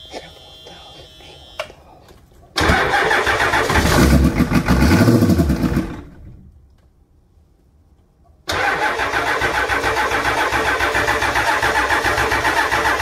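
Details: Ford E350 short bus, 7.3 IDI diesel, after deleting the fuel heater to fix a leaking fuel filter housing and air intrusion, filter prefilled with ATF: loud cranking burst catches and fires, then settles into an even, steady idle clatter with no leaks.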